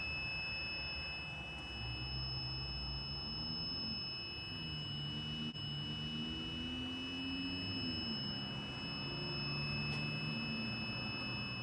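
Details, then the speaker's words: Fardriver controllers on an electric go-kart beeping error codes in repeating groups over a low hum; cause found: orange key line wired to 12 V through a relay instead of switched 96 V. "I'm standing a bit back from the controllers now because I got some beeps going on"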